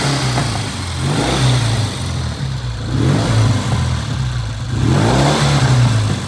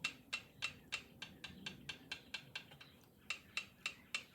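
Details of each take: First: 1972 Triumph TR6 650 single-carb 5-speed, oil-in-frame: repeated blips with uneven popping and spitting as revs fall; owner suspects left cylinder, whose pipe is blue and runs hotter, running lean. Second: 1972 Triumph TR6 650 five-speed, which runs poorly with the left cylinder hotter. Engine stopped and locked at top dead centre, rockers rocked by hand give light, crisp, even ticks about three a second; valve clearance sounds correct, before feeler-gauge checking.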